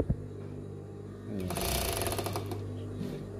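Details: Sewing machine with dirt-packed feed dog, run with needle plate removed: fast, harsh clatter as the feed dog knocks the rotary hook; still noisy afterward, so cleaning the feed dog teeth followed.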